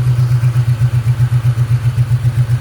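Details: 1998 Ford Mustang GT 4.6 2V after intake manifold replacement: loud hum after a throttle blip, then the idle hunts and pulses about six times per second in a deep, lumpy beat and barely holds; failing idle air control valve, to be replaced.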